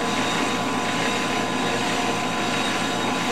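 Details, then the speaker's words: Flywheel from a Ford 460 being faced on a G0776 lathe: steady, even hiss of the cut with no chatter, squeal or pitch change; a smooth, clean facing pass. "actually making a pretty good pass and even at that speed I'm satisfied with that"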